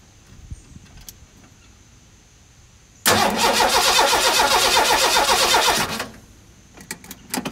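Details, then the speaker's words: 1985 Ford F-150 with a 300 inline six and 240,000 miles, on its first crank after the exploded cam gear was replaced. The starter spins the engine evenly at about four beats a second, but it never fires: cranks, no start. "hmm doing much of what it did when i first got the thing home not start"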